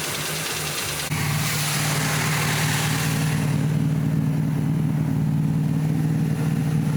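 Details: 1990 Cobalt boat engine at start: lumpy, uneven loping idle, grossly overfuelling and smoking heavily because a sticking choke held the secondary vacuum pull-off partly open.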